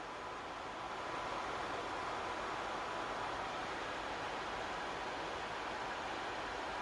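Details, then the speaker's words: PS5 after cooling upgrades, fan speed dial set about a quarter up: even, constant airy whoosh with faint tone near 1 kHz, no rattle; fan spinning smoothly slightly faster than stock. "so basically that is um back to stock and this will be just a quarter after just a quick knit there is a difference as well that is faster than stock"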